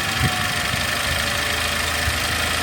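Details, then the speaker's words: Mercedes SLK 200 first start after timing chain replacement: even, steady idle with a light smooth top-end whirr and no rattle or tapping; engine sounds healthy. "So let's start it up, shall we? Hey, all looking good. Marvellous."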